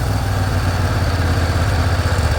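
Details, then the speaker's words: Swisher Z-MAX XTZ 60-inch commercial zero-turn mower, 27 hp Briggs & Stratton extended life professional engine, 200 hours, after choked start: idles down nice and smooth, low steady drone with even beat, no stumbles or knocks. Normal idle. "Idles down nice and smooth. I'll rev it back up."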